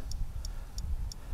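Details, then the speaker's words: Bobcat Delphi common-rail injector on a bench test kit at 5,000 psi: only faint, evenly spaced solenoid ticks with no spray burst. The injector is not firing and is stuck closed. "very faint tick i can't really hear much of anything coming from that injector but you can hear that solenoid trying to fire"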